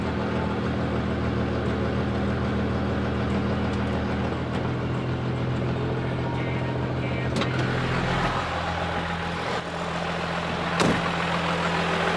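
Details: First-gen 12-valve Cummins diesel just fired up after installing an Amazon radiator, valve lash checked, oil and coolant filled, warming toward thermostat opening to bleed air: steady low clatter at stable idle, no misses or knocks.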